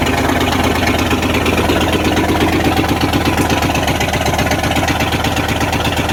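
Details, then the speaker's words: 1994 Dodge Ram 1500 318 (5.2L) V8 after rodent wiring, vacuum line and fuel pump sending unit repairs, catalytic converter missing: loud steady run through open exhaust, somewhat uneven beat, no knocks; possible bad wires or clogged injectors suspected. "So it's hard to tell how it really runs because the exhaust is wide open. But that's a running truck for under $1,000."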